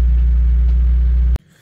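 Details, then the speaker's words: Citroen ZX with a Peugeot-Citroen engine, held at about 2,000 rpm because it will not otherwise keep running: steady low drone well above normal idle, then cuts out; choke not working, fuel tank reportedly rusted inside, owner blames fuel. "you will notice I it's high revved that's because to keep the car running I had to be it in about 2,000 revs so something's not great with that"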